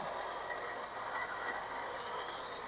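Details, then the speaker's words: 2005 Toyota Camry, 2AZ-FE 2.4 L four-cylinder, idling: rough, gravelly whir from the front belt area that doesn't settle. The water pump pulley visibly wobbles and the pump leaks coolant. Water pump bearing noise; the pump is to be replaced. "so hopefully you can hear that and if you look you see that water pump pulley right there see how it's kind of walking"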